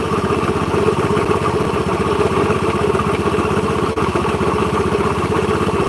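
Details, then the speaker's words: Honda Beat scooter with a "klotok-klotok" engine complaint, idling: a coarse, gritty rumble under the quick even beat from the crankcase, worn crankshaft bearings. "Nah sekarang sudah enggak ada ini hanya muter aja tapi suara tengahnya Kasar banget iki laker pada like mesin urung sulit turun mesin"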